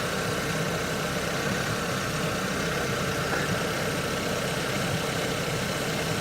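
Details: 2006 Honda Civic with a freshly installed engine, first run, warming up toward proper idle rpm with a tiny leak being watched: smooth, even idle hum with a steady beat, no knocks or ticks; normal idle.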